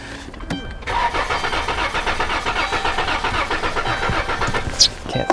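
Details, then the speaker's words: 2012 Dodge Caravan/Chrysler Town & Country 3.6L, misfire complaint, cranking compression sound test. The starter cranks with a lumpy, uneven beat, some strokes weaker than others, indicating a low compression problem. "우리 같이 훈련된 귀에는 이미 이 차량의 문제가 밝혀진 겁니다 압축 문제입니다"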